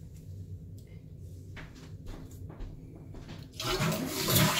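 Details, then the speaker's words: Toilet after the fill-valve fix: a quiet gurgle, then a full rushing flush and refill with no lingering noise. Normal flush and refill. "So the noise is gone, so that's good."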